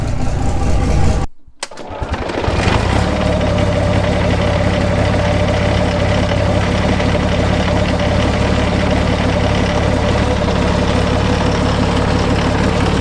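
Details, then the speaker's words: British Army Abbot artillery vehicle, Rolls-Royce engine after engine pack pulled, starter motor fixed and leaks repaired, fuel pumped up: brief crank, catches, settles into deep, even idle; normal start and idle. "pump the fuel up a little bit you can hear it they're pumping there's our little displays so looking good and we'll give her a fire sounding good"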